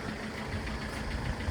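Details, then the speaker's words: Citroen C5 saved from the scrapyard, code P0215, just started. It runs poorly with an uneven low chug and lumpy beats over a dull rumble, then clears, with heavy white smoke at the rear. A leaking injector is suspected, not confirmed. "I mean, it doesn't run the best. Yeah. at the moment. Yeah. Looks terribly. Sound like it's going to blow up, but then it's cleared."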